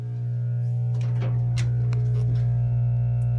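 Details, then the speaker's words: Five-year-old LG WT5680HWA top-loading washer, which also has worn drum bearings, trying to drain on spin-only: the drain pump gives a steady low electrical buzz but moves no water, a failed pump. "and now trying to get the water out you can hear a buzzing sound"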